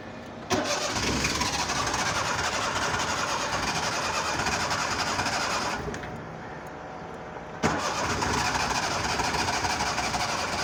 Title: Seema | Cold Hard Start| Car Trouble Trying Cranking Pedal pumping | #crankingCar